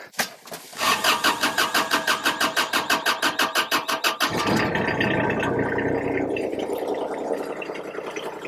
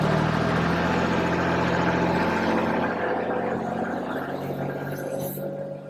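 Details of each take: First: Kubota RTV1140 side-by-side, cold hard start: a long crank of about three strokes a second for nearly four seconds before it catches and runs. A test light on the glow plug bus bar shows no power at the key's glow position, so the glow plugs aren't firing. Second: Kubota RTV1140 diesel side-by-side, after repair of long cold-start cranking where glow plugs were not firing: fires quickly on glow plugs and settles into an even, steady run with no misses or knocks, a smooth hum easing down.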